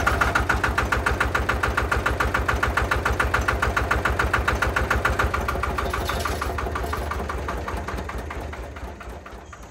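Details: Benford TS25 concrete buggy with single-cylinder Lister diesel, big centrifugal weight inside, after hand-crank start: slow, even thump about 140 beats a minute, steady and regular with no rattles; healthy diesel idle.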